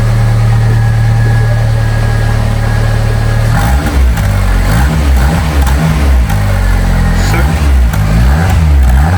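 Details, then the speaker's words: Fiat 500 after new head gasket and exhaust repair, first start after weeks standing; deep, even idle then quick blips rising and falling cleanly, slightly throaty from the rear, quiet at front, no exhaust blows or puffing; healthy running. "Oh my god, that sounds miles better. >> It does. Wa. >> It's got a little bit of a throaty sound to it as well from the back."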